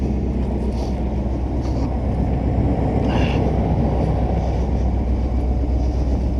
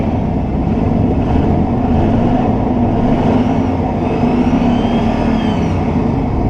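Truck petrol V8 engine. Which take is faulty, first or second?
first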